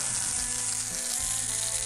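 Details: Nintendo 3DS (blue frame) that would not charge, heard after charge port resoldering: constant high frying hiss from the speaker with faint tones underneath; audio static persists, suspected chip on the top-half board.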